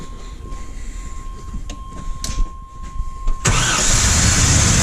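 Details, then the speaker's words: 1989 Chevy K1500 4.3L, 5-speed, 179,000 miles, after head gasket repair (blown between cylinders 4 and 6, heads shaved, valves lapped): chime, few cranking clicks, clean fire, even strong idle; healthy start, minor oil-line leak. "oh yeah got the Earls look out ears she sounds healthy now"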